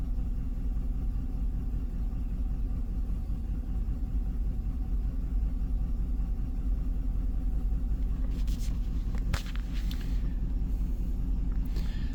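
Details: 2005 Cadillac Escalade, 6.0L LQ9 V8, P0300 random misfire, idling after injector swap: uneven, lumpy low rumble with a stumbling beat; multi-cylinder misfire later put down probably to a mismatched injector set, with a matching set of injectors fitted.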